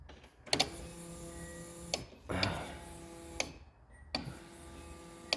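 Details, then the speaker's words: 1981 Datsun 280ZX parked nine years, new battery, fresh fuel and oil, key on while starter relays are swapped: a few sharp ticks about every two seconds with faint hum; fuel pump priming. "Hear the fuel system working."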